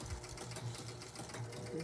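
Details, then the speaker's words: Gottlieb North Star pinball machine, after raising it to free a stuck ball: quiet quick mechanical chatter cycling nonstop; score motor runs on because the game won't reset, the owner's reported fault. "Okay. So, this is the problem he was describing earlier, which is a much more common problem with the game's not resetting."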